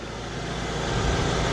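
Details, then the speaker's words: Generator that wouldn't start after sitting, now running after carburetor cleaning; steady, even engine drone at constant speed with no misses or surging; normal running. "so you hear the carburetor running in the background carburetors yeah the carburetor is running the generator is running in the background"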